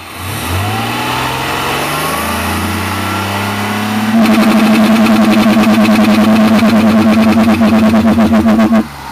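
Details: Ford Mondeo 2.5 V6: an even idle, then at four seconds a rev into a loud, steady buzzing drone with fast pulsing. Abnormal engine noise, origin unknown.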